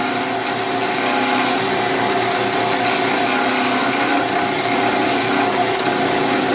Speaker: vibrating like it is, so we need to tighten it up.